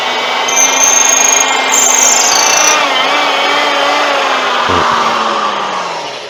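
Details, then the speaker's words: Drilling a deep hole in a wood-turned lamp: loud steady drilling with a thin high squeal rising in pitch; the bit is binding because chips cannot clear, so it must be withdrawn at once. "you hear that squealing take it out immediately because it's starting to bind the further down you go the quicker it binds because it can't get the pieces out"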